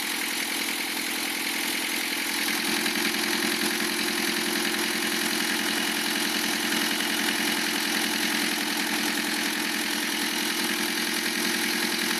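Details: Lancia Thema 2.5 TD diesel after rebuild, idle: hard, regular metallic knock in the head area on each firing beat, slightly reduced by disabling injectors 2 and 3; oil pressure 2 cold, 1.5 warm; timing marks correct; owner suspects piston hitting liner or valve.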